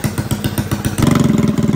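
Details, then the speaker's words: Freshly built Predator 212cc single with stage 5 big-valve head, 310 cam, billet rod, flywheel and piston, new carb, first start on pull one with choke on a freezing night before break-in; fires after an uneven second, then settles to a crisp, even idle of about fifteen beats a second; normal idle. "It's alive. It even idles. See how it does in the snow. It sounds so good. Oh my goodness, this thing sounds insane."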